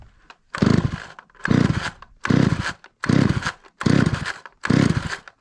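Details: 43-year-old Stihl 028 Wood Boss two-stroke chainsaw, just reassembled after carburetor work, surges in short bursts about once a second and dies back between them, unable to idle; maladjusted low and high speed screws are suspected, not confirmed.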